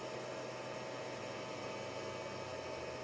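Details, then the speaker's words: Samlex 350W pure sine wave inverter on four paralleled 12V batteries, load-sensing fan kicked to high rpm while running a refrigerator (~800 mA, ~117 V, 59 Hz): steady, even fan rush with faint electrical hum; normal inverter cooling fan at high speed. "you can hear the inverter because it has the uh load sensing when you put um load from it that time started drawing the fan kicks in in a high rpm"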